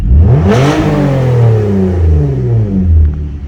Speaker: yeah see that's normal sounding good again looking normal